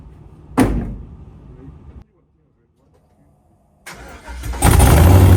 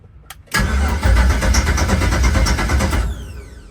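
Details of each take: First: LS-swapped 1972 Chevy Nova on the ground, run only about 10 seconds as no oil pressure gauge yet: click, pause, cranks, catches and settles into strong, even lopey V8 idle, no knocks. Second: LS-swapped 1972 Chevy Nova, first start after five years, newly wired PSI harness and fuel relay: starter cranks, engine catches and roars about two seconds then dies; fires briefly but won't keep running.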